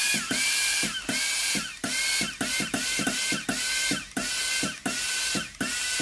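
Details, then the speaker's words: Philips GC9682 steam iron after repair with the front board reassembled, water-feed button pressed: regular clicks about 1.5 per second, each with a steam hiss; steam and solenoid valve now work normally. "Hơi nước thoát ra bình thường. Van điện từ hoạt động bình thường."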